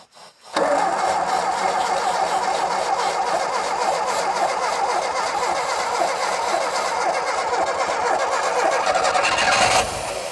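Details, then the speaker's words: Renault 5 GT Turbo barn find, unmoved since 2001: steady fast cranking, about 3.5 beats a second, for ten seconds without catching; nearly fires, spark present, so suspected lack of fuel. Crank, no start. "my word that nearly fired that nearly five that is just lack of fuel I think because yeah we've obviously got spark"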